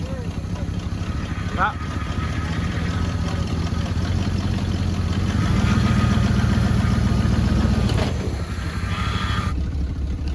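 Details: 1974 Chevy C10 old V8, sat about 5 years, just revived on a temporary inline fuel pump fed from a raised tank: steady, slightly lumpy low idle with no knocks or misses; normal idle.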